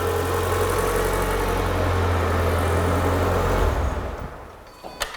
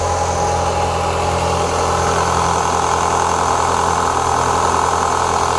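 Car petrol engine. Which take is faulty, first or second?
second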